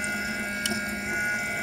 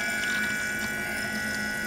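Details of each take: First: BMW E90 335i electric coolant pump running during the self-bleed procedure (ignition on, heater max, fan low, pedal floored 10 seconds) after adding antifreeze. Steady electric hum with a faint watery rush, pitch even. Pump working normally, some air still present. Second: BMW E90 335i electric coolant pump running during the self-bleed procedure after adding antifreeze. A steady pump hum with a burst of gurgling and hiss midway as air bubbles pass through the coolant loop. Air in the cooling system.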